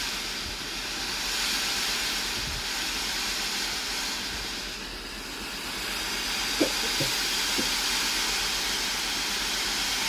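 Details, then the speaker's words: Philips AIS8540/80 steam iron that had no steam output but powered on normally, tested after water pump replacement: steady, strong even steam hiss with faint clicks near the end, normal steam output restored. "Testez le système de distribution d'eau en appuyant sur le bouton ; la vapeur doit sortir normalement."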